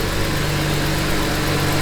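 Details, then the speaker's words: BMW 335i with N54 engine and big turbo, about 600 hp, after fixing an oil leak by refitting the oil filler cap: smooth constant drone with steady low hum and loud turbo noise, no ticking, squealing or grinding; healthy running. "turbo noises are the coolest thing in the world and as loud as this one is oh my gosh"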